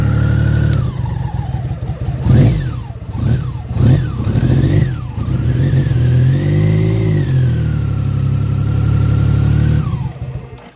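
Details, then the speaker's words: 1988 BMW K75 first start after sitting 22 years, with fuel and rubber parts replaced, tank varnish cleaned and a new battery: fires up on choke, revs rise and fall cleanly, then settles to a steady high choke idle; running properly. "And start button. Did you just hear that? Choke. It's running. I cannot believe it's running."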